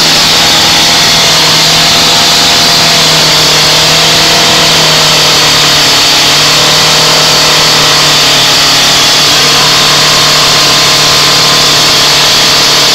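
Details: Land Rover Defender 200 TDI diesel started for the first time after a year-long rebuild; it screams flat out at a steady high pitch with no throttle input and won't settle: runaway on its own oil.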